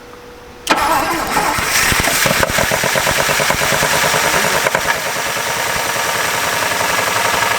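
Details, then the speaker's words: 1959 Buick 364 Nailhead V8, first start since early 1970s: busy fast idle with sharp rapid ticking-knock about three per second from inside the engine; oil level fine, oil pressure uncertain, hoping the knock goes away. "nevertheless she's running let's see if the knock goes away"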